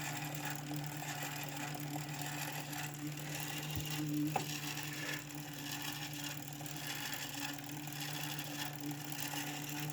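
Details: 2017 Kickr trainer: steady flywheel hum with a rough, scratchy hiss on top while spinning. Something is rubbing inside; cause unknown.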